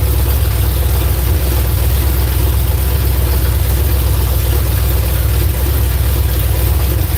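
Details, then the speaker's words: V8 just started on a newly fitted ignition box: loud, deep, lumpy rumble that never picks up crisply and sounds sluggish, not free. Flames were seen from one side when run up; ignition timing is suspected to be off, not confirmed. "Gosh, that's loud. It sounds like that the timing ain't right. Sounds like it's sluggish. It ain't free."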